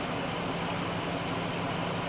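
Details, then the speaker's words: Chrysler/Dodge minivan 3.6 Pentastar with radiator cap, idling hot after oil cooler reseal and new oil pressure sensor, while coolant is bled with a spill-free funnel. Upper hose is hot and another air bubble is purging. The electric cooling fan is running with a steady airy rush over a calm, even idle. "See, it's doing it again because there's another air bubble in there. Now the fan's running."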